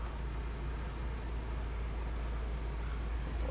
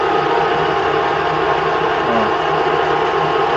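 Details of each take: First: Chery Tiggo at cold idle with air conditioning switched on: rapid cricket-like chirp about twice a second from the worn outer rubber of the crankshaft harmonic pulley, not the Poly-V belt or tensioners. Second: Chery Tiggo, which chirped like a cricket on the poly-V belt when cold and with the A/C on. Idling after the repair, where the pulley's rubber was replaced by a machinist: steady, even hum with no chirp or squeal.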